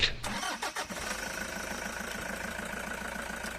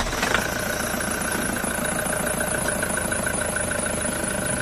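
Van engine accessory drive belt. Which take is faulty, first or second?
second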